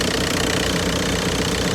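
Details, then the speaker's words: Audi A4 diesel started cold after a jump start, following aux belt and tensioner replacement: steady diesel clatter with an even, regular beat and no stumbles; normal diesel idle. "Sounds like a normal dirty diesel."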